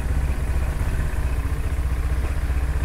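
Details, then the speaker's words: 2022 Kymco XTown 300 at idle, after replacing the rattling old variator with a Malossi variator with 17 g weights and clutch: even, low exhaust thrum with a steady pulse, no drive-side rattle, revs up faster; healthy. "now it's like silent all I can hear is just the exhaust and it revs up a lot faster than before"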